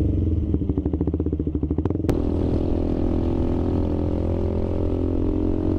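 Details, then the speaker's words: KTM 390 Adventure single-cylinder on a test ride after chain adjustment and intake snorkel delete: engine thump with a light metallic rattle that comes and goes with rpm changes; owner suspects something loose under the cover, not confirmed. "yeah definitely hear it uh with the RPM change so into the garage take the cover off I'll tighten some things down"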